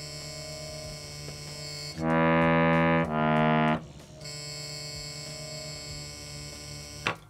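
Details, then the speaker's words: Bhava harmonium, Studio Concert or Mini Standard model: sustained reed chords, with one note carrying a harsh, rattling buzz over the steady tone; a buzzing reed to be located using the stops. "I'll play and you see if you can tell uh which read is the one that's buzzing"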